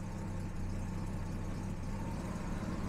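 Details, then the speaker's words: Jaguar XJ6 Series 3 XK six-cylinder, warmed up after fixing a badly misadjusted sensor that caused rough idle and near-stalling: steady even low hum, no misses, does not stall in gear; normal idle. "pretty much warmed up now and it's still nice and smooth and if I put it in gear it does not want to die"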